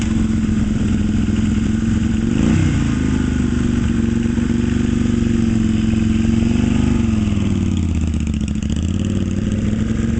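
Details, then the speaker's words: 1972 Yamaha XS2 cafe build, rephased crank and cam, Pamco ignition, kick-only, Pandemonium pipes with Bub mufflers, outdoors in cold weather; smooth, even twin drone with small throttle swells, no knocks or rattles; sounds good. "That thing sounds good."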